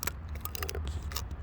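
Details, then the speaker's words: Used dual-sport/dirt bike inspection, clutch lever pulled in: irregular dry crackles and snaps over a low hum as the visibly splitting inner clutch cable wire frays; cable needs replacing. "So this clutch cable is going bad. It's, make sure you don't hear any like crackling noises. If you hear a crackling noise in the cable, that means you got to replace the cable, and this one's gonna need to be replaced."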